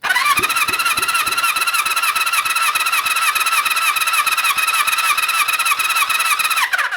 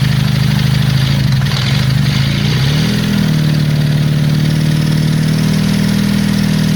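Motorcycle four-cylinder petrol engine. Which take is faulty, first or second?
second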